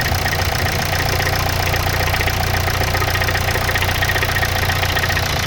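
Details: Hyundai Santa Fe DM 2.2 diesel, cold idle: fast even tapping about three to four per second over the clatter, disappearing after 3-5 minutes warm; owner suspects hydraulic lifters, unconfirmed.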